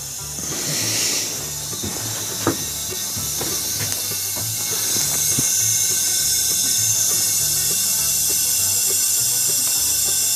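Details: 1965 VW 1200 40 hp air-cooled engine on leak-down air test, cylinder reading about 53, higher than it should be: steady high, sharp hiss of air escaping, music behind; compression leak-down air hiss.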